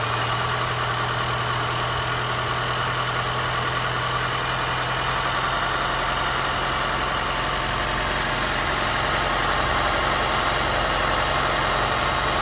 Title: Audi A4 B8 1.8TFSI rough idle oil lid test